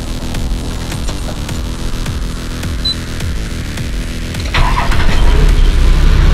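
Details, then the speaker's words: TD42 diesel idling after a new UFI fan was fitted and a broken-off tab that had been hitting the fan was cleared: steady, smooth, even fan hum with no rubbing or rattling, moving more air, normal cooling fan. "rattling better can hear the fan hum sounds a lot better than the old one it sounds like it's actually moving a lot more air"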